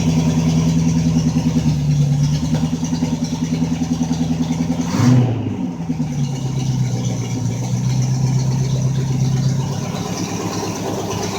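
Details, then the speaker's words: MG Magnette ZB V8 coupe with automatic chokes, cold start after pressing throttle fully, microphone near the exhaust: steady raised idle, even firing, no knocks or misses, settling slightly after a blip; normal three-minute fast idle. "now we've gotta let it idle like this for about three minutes on fast-idle remember it's automatic"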